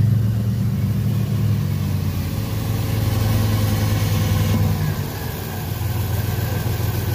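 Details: 2007 Dodge Dakota: the engine sits at a high idle, its low drone wavering and dipping instead of holding even. High, rough idle rpm.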